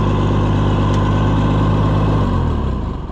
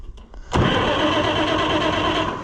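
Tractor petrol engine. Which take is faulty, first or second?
first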